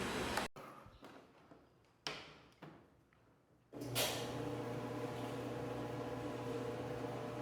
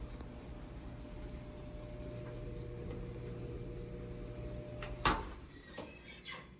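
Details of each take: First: Mabe washer-dryer combo after the dryer drum was removed and reassembled to cure a noise: a steady, even motor hum as the drum spins, with no friction, scraping or squealing, between a few clunks. Repair fixed. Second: Mabe washer-dryer combo ("centro de lavado") dryer drum turning with a steady rubbing drone and faint thin squeal. The drum is removed to repair it.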